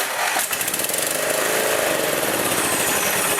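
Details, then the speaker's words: Murray 14.5 hp riding mower after straightening bent intake pushrod and fixing valvetrain (previously knocking, would not run): fast, steady running under heavy thunderstorm rain noise, no misses or knocks; engine fixed. "Amazing what happens when you get the valves to open and close and be able to pull in fuel, make compression, and get a spark and have some internal combustion. This baby's fixed, I think."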